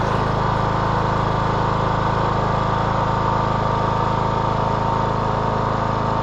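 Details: 2014 Troy-Bilt Bronco 13WX78KS011 mower, Kohler 17 HP. Previously a no-start from a faulty fuel shut-off solenoid, after a new HiPA carburetor fitted. Steady, even drone with no misses, surging or knocking: running smoothly.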